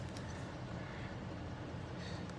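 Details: 2006 Chrysler 300C 5.7 Hemi, previously stalling, after replacing purge valve solenoid and cleaning its dirty connector: steady low rumble with even beat, no stumbles; smooth normal idle, no stalls in about 72 hours.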